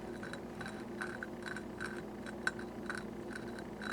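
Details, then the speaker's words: Honda Ruckus engine rebuild: exhaust valve twisted back and forth on its seat by suction hose with valve lapping compound: quiet gritty rasp about twice a second. "that sound right there and of course we're just playing with it it's um we're not doing it completely but the suction is holding the suction of the hose is holding onto the back back there and I am lightly grind using the grinding compound right here or lapping compound valve lapping compound"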